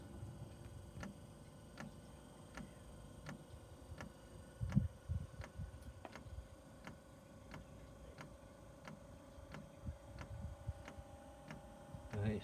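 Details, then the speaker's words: 5kW Chinese diesel heater at startup, smoking heavily: dosing pump ticks crisply about twice a second over a quiet hum; normal fuel pump ticking. "I didn't mean the fan I meant the pump pump so the pump's not doing no right the pump started"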